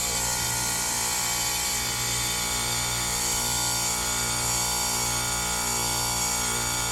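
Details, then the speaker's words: Lennox heat pump with a homeowner noise complaint, running in heat mode with the top off. Loud steady hum with a harsh, rattly hiss; failing compressor diagnosed, and the technician wonders if it has bad compressor valves. "You hear it gets louder when I move my hand out of the way. I'm blocking the noise, direct noise. Yeah, we got a bad compressor, guys."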